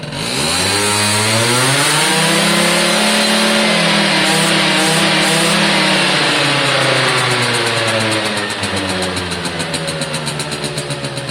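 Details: Suzuki AP50 two-stroke after carb clean, air box fitted, revved by hand through quarter, half and full throttle: crisp buzz climbs and falls cleanly, no stumble; normal revving.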